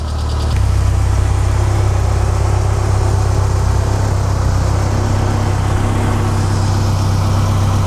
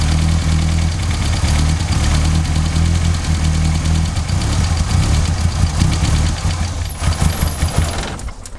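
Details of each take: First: MK2 Golf GTI (KR 16v) after the cutting-out fault was fixed with replacement HT leads cobbled from a Lupo GTI, wiggle-tested: deep, even idle holds level for eight seconds with no cutting out or misses. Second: MK2 Golf GTI (KR 16v) that keeps cutting out, started on a freshly charged battery: catches, but idle hunts, swelling and sagging unevenly before dropping off; idle stabilisation valve checked first.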